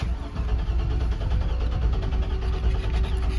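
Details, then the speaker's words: 1957 Chevy truck on a 2003 Silverado chassis swap; new battery fitted and serpentine belt refitted, lights on: even, steady cranking but it never catches. It may be out of fuel. "Let me crank it over. I got lights. She wanted to start."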